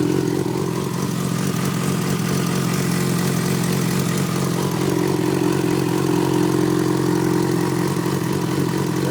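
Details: Yamaha FZ6 inline-four idling with a light, quick tick about three to four a second over the hum; owner wonders if it is the normal FZ6 ticking, source undetermined.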